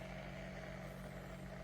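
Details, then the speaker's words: Brightown 1.7L 1500W glass electric kettle with about 1 liter of water, about 1:30 into heating: a steady low rumble with a faint hiss and no gurgling bursts yet; water nearing the boil. "Alright, starting to hear some boiling sounds. Minute and 30 seconds so far. Looking hopeful."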